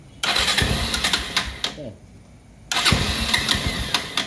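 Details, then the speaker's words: Rouser 220 motorcycle that would not start, after correcting reversed red/yellow wiring and insufficient ground; engine catches after brief crank, dies, refires and runs crisp and steady on choke, starting normally. "oh ' ba kung nakikita niyo gumana na siya So ibig sabihin kinakapos lang sa groundings"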